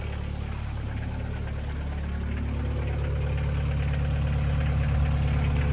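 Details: VW Caddy pickup 1.9 diesel, jump-started on a weak battery, cam belt history unknown; steady even low idle clatter with no misses or stray knocks. Normal idle, sweet as a nut.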